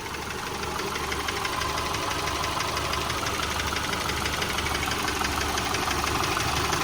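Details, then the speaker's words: 2010 Subaru Forester 2.5 L EJ25 boxer: even, steady idle with light regular tick and no metal-on-metal banging as the engine warms; normal engine sound. "and it basically sounds like an average engine you don't hear no metal to metal banging okay so that's why I'm keeping it running so you can hear and go over and compare with your car"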